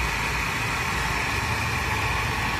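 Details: Mercedes-Benz C280 W204 six-cylinder at idle: thin constant whirring tone riding above the engine; the engine is noisy from a bad belt tensioner pulley.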